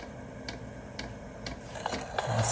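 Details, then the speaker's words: HCALORY HC-A01 diesel heater, first start after setup, glow plug likely warming then dosing pump priming: crisp evenly spaced ticks about twice a second in a quiet room as fuel comes up the line; normal priming. "So you guys hear that? And as you can see right here, the fuel is coming up the line."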